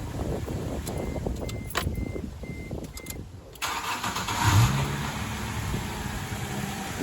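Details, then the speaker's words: 2006 Toyota Tundra 1GR-FE V6, warm restart after cold start: short cranking whir with light chirps, owner suspects starter Bendix, then quick catch and steady idle; otherwise normal, unchanged. "And it sounds more normal. I would suspect that is the Bendix in the starter making that noise, but other than that, doesn't get any worse, doesn't really get any better, so it's all good."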